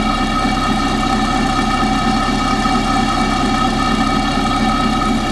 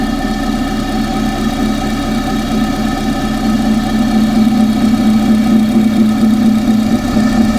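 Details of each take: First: Engine at idle, pipe stethoscope on the belt tensioner: steady, even whir with a faint tick in the background, normally inaudible; tensioner sounds normal. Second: Engine checked with a pipe as stethoscope near alternator and tensioner: steady whirring tone over an even idle, no knock; whine seems to come from the water pump area, cause suspected, not confirmed.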